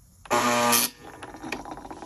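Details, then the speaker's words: Breville 920XL espresso machine, warmed to 195: loud, harsh half-second electric buzz from the inlet solenoid valve, then quieter clicks; the valve needs replacing, and the boiler also leaks and needs an O-ring kit. "and that comes from here did you hear the buzzing noise right here yeah I think you got the idea so anyways this guy needs to be replaced"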